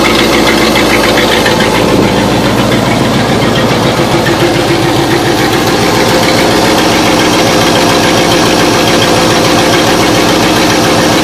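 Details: After a few minutes of running, the engine shows what appears to be exhaust escaping at the rear of each manifold; rapid regular ticking puffs about three or four a second over a smooth idle, suspected exhaust leak, unconfirmed.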